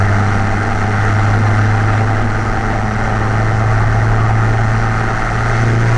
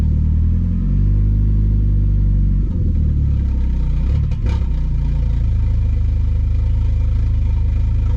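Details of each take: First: Car fitted with a new MRP 3-inch aluminum MAF housing, after the earlier breaking-up was resolved, warming up before a drive: steady, even idle with a smooth low hum and no stumbles or hunting; normal idle. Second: Car with a new MRP 3" aluminum MAF housing and a 276 cam, warmed up after an ECU hard reset while fuel trims relearn. Idle drone, then a throttle blip that sags and bogs and recovers unevenly: hesitation on throttle blip, cause unconfirmed.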